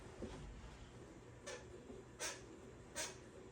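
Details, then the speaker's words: Pooboo stationary exercise bike, pedalling: short squeaky chirps about once per pedal stroke, roughly 80 a minute; squeak now occurs both forward and backward, worst when first getting on; owner suspects the belt. "and even backwards. At one point, the backwards didn't make noise, but now they both make noise."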